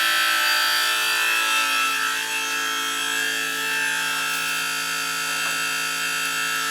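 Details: Old gas boiler: continuous high, wavering squeal with a raspy edge over a steady hum, heard throughout the house; circulator pump found to be the cause and is to be replaced.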